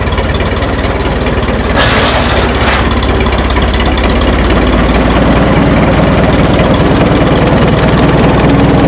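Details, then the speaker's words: 1952 Minneapolis Moline G tractor gasoline engine, sat in barn 10 years, previously froze pushing freeze plugs, float possibly stuck: starts easily, settles into even steady chuffing idle with no misses or knocks. "I cannot believe it started that easy."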